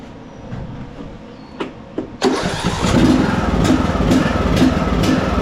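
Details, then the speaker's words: John Deere D110 riding mower, 19 hp Briggs & Stratton, Nikki carburetor, before carburetor replacement: starter grinds briefly, engine catches and hunts up and down instead of settling; hard surging, carburetor blamed. "carburetor oh have you ever seen one surging that hard before good grief Woo new carburetor new set of blades full service"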